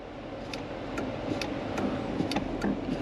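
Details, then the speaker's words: Dodge Durango R/T 5.7 HEMI V8, cabin: sharp dry click under the dash each time the brake pedal is pressed, over quiet hum; source unknown, owner suspects battery or brake light related. "there's a click somewhere down here, and I don't know what that is. It drives me nuts, and you hear it constantly."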